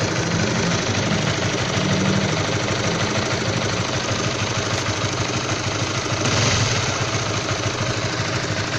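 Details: All-stock Honda CB150R engine at low temperature: rough, uneven knock-like tapping over a busy cold idle, steady with no rev change; cause not confirmed; knocking at cold idle.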